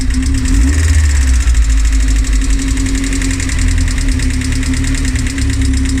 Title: Rover K ticking noise